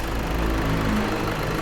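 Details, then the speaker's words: Toyota Fortuner/Vigo/Revo diesel after replacing the front pulley and worn belt, battery warning light now off; steady, smooth, very quiet idle with no squeal, chirp or rattle from the belt end, normal idle. "มีเสียงเครื่องยนต์ตัวนี้จะเป็นเอกลักษณ์เขานะเสียงเงียบมากๆ"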